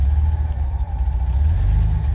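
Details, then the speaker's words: 1989 Ford F-150 300 inline six, 4-speed manual, 4WD, first start after 8–9 years on old fuel pump: low, lumpy tractor-like idle with dropped cylinders, running on about four cylinders, giant cracked manifold; rough misfiring idle. "It ain't running great yet, but the reason it sounds like a tractor, and I'll walk back out there and show you, is that it's got a giant crack in the manifold, and this sounds like a tractor."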